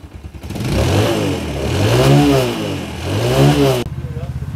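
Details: Yamaha Jupiter MX small single-cylinder motorcycle engine revving cleanly up and down three times with a smooth rising pitch, no knocks or rattles, settling to an even idle; healthy engine.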